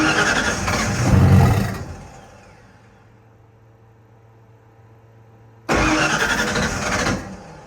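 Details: Ford F-150 with a PimpX ECM: two short cranking bursts with a pause between, engine never catches; crank, no start.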